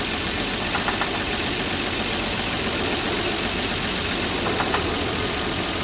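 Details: Toyota 7M-GTE about 4,000 miles after a head gasket repair. A hissy, busy idle with occasional faint sharp ticking bursts. The owner suspects rod knock, but the source of the knock is unconfirmed.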